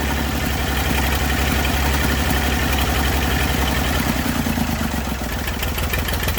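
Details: Massey Ferguson 35 diesel tractor, sat in woods 20+ years, revival start with leaking radiator, water and fuel leaks: steady low chug around two beats a second at idle, no knocks or misses; running properly.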